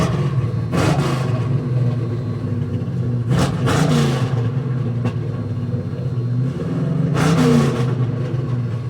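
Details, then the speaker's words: 1972 Mustang 351 Cleveland with new Edelbrock 4-barrel intake, headers and 2.5-inch exhaust with Black Widow mufflers, first start; deep steady V8 rumble, crisp throttle blips rising and falling cleanly, no knocks or rattles; normal V8 idle and revs. "Yeah, that sounds a little better. What about here? Yeah, she needs cam, but it doesn't sound too bad."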